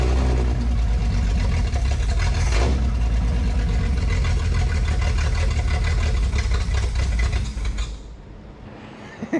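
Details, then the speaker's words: 1968 Ford Falcon, run briefly after clearing an exhaust blockage and mouse nests, radiator hose not yet fitted: strong deep steady exhaust rumble at fast idle, no stumbling or popping; engine breathes freely, heats up slower without back pressure. "What a difference. Now she rips. And ironically, just because of it's not that back pressure has somewhere to go, it's not heating up near as fast either."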